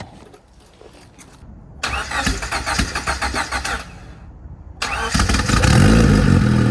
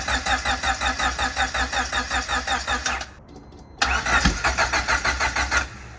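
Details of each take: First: Turbo Honda Civic (about 400 hp) cold start, back running after months sitting: cranks a couple of seconds, pauses, catches into steady, even idle, slightly squeaky; much better than before. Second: Turbo Honda Civic (about 400 hp, E85) sitting for months, fuel system primed, gauges acting up: steady starter churning about three beats a second, pauses, cranks again without ever catching; cranks but won't fire, cause unconfirmed.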